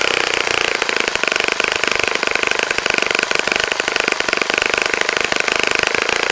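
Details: Saito FA-65 model four-stroke, first run after rebuild, APC 12x6 prop, Morgan's Omega 10% fuel, Fox Miracle plug: steady high-pitched buzzing roar at full throttle, even and smooth with no misses; runs nicely.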